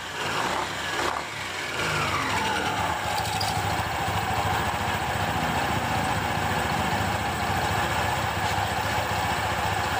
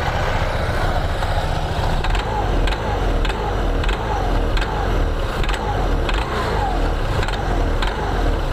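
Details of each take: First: 2021 Honda PCX 160 after a CVT service with cleaning and special grease, no parts replaced: revs rise then settle into a smooth, even drone; the earlier clacking at idle and sudden throttle is gone, so the CVT is normal. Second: 2021 Honda PCX 160 at idle, complaint of rough CVT noise and judder on pull-away: rattly clatter with a faint regular tick about every half second, also on sudden throttle; loose roller housing cover in the front pulley.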